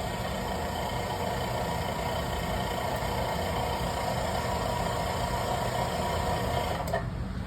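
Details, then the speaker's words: Soda machine carbonator pump refilling with carbonated water for the soda gun after the lines were run empty: steady low motor hum with a faint pulsing beat, dropping away as the pump kicks off once full; normal operation. "So that is making it to where it is filling up with the correct carbonated water for the soda gun."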